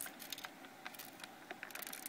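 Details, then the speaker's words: Xbox 360 Slim DVD drive stuck on opening, drive removed and tilted by hand: faint, irregular light clicks and ticks as small loose pieces, likely a broken clip, bounce around inside the drive. "know if you can hear it out but you can actually hear it bouncing around inside they're loose"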